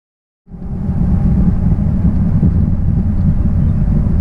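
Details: 1966 Triumph Spitfire, rebuilt 1147cc engine, driving after fuel system stripped and lines flushed: strong, steady low engine roar pulling evenly with road rumble beneath, no misfires or stumbles; healthy under acceleration.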